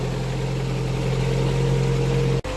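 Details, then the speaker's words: Lada Priora petrol engine just started at −4 °C: smooth, even idle with a steady low hum and no squeal or knocking; normal idle despite an overcharging (16.7 V) and slipping-belt complaint elsewhere. "Так, запустилась. Смотрим. Ну что, газовать уже, в принципе, можно."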